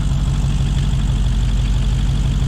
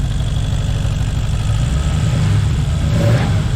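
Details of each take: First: Square-body Nissan Skyline with freshly built V8, trumpets, brake booster deleted, first start-up: deep lumpy V8 burble at steady cold warm-up idle, no tapping or misfire; healthy new engine. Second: Square-body Skyline with a freshly built V8, warming up at idle. A rising and falling whine comes and goes in short swoops, attributed to the bypass funneling out; junk from the first start may remain. Intermittent whine, cause unconfirmed.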